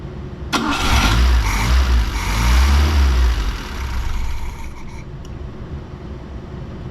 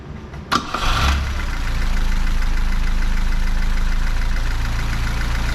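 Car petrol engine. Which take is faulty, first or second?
first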